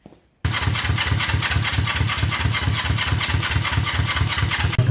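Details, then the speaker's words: Honda CB350 twin, basket-case first start: fires, then settles into a lumpy, spaced-out beat about five pops a second, running on one cylinder; cause unclear, the other plug is sparking. "guys it's running on one cylinder I unplugged took this other cylinder off and it popped it fired right up"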